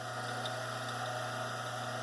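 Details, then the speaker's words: Rikon slow speed grinder run with grinding wheels removed: smooth even hum with constant low tone, no knocks or grinding; shafts ran true, so motor and bearings seem fine and wobble is in the wheels. "pretty good so we're not seeing that the that all seems to be good and tight so I don't think it's the motor I think it's got to be in the grinding wheels here somewhere"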